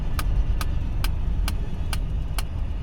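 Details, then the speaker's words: Rhythmic driver's-side front-wheel whop with sharp ticks and screeching following wheel rotation while driving an abandoned Mercedes 300CD; owner suspects a flat-spotted tire, bad brake caliper, or possibly a wheel bearing; engine stays under 90 with rpm kept up. "Either I've got a huge flat spot on that tire or that brake caliper is just totally fucked."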